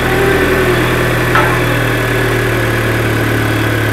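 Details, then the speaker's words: Car just after clutch slave cylinder replacement and bleeding: engine catches and holds a steady, even cold idle with a smooth low hum and no knocks, misses or squeals; healthy cold start. "for that cold start. Not bad."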